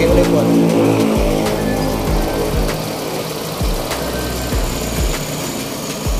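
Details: Suzuki Avenis 125 scooter that had no idle and kept stalling, now holding a steady, even idle without stumbling after the ISC was cleaned and manually calibrated; background music.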